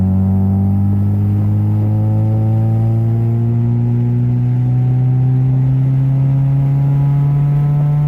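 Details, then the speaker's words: 1993–1997 Honda Del Sol after a shop fitted an exhaust skin/silencer, accelerating hard in first gear: low steady drone rising smoothly, no rasp or rattle; exhaust now much quieter, normal. "guys what a difference listen listen what a difference the car is quiet"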